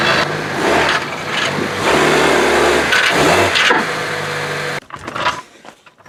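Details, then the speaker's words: 1999-2000 Honda Civic EX, 1.6 D16Y8 VTEC, revved: the engine sounds choked and flat. It started with a heat-shield-like rattle varying with engine speed, then lost about half its power; suspected broken-loose catalyst plugging the exhaust, fixed by replacing the catalytic converter. "You'd try to accelerate and it felt like you had like half the horsepower as normal, so indicated a plugged exhaust. Now if you listen, I'll rev it, you'll hear it."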